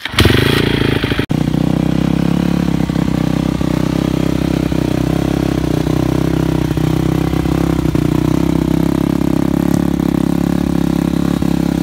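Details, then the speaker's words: 2013 Yamaha YZ250F dirt bike before teardown, starts on third or fourth kick, then settles to a fast, slightly hunting idle with blips; idles a bit high. Owner suspects carburetion needs tuning, not valves. "idles a bit high."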